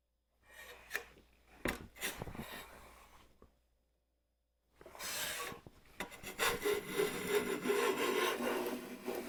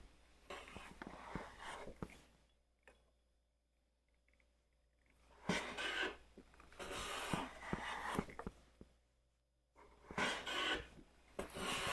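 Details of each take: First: Stanley hand plane, first use in a long while and hard to fine-tune, pushed through wood beside a WoodRiver: rough rasping strokes turn into buzzing, juddering chatter as the blade vibrates instead of slicing, barely pulling a shaving; blade chatter. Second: Hand plane cutting with long, even swishing strokes and a clean hiss, no stuttering buzz: the thicker blade (about 0.122 in vs 0.078 in) keeps it from chattering, a smooth plane cut without chatter.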